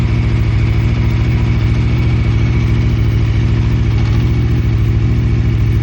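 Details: Aprilia RSV4 RF started for off-season maintenance: idle with heavy, regular low thumping about three and a half beats a second; abnormal engine noise, cause not yet found.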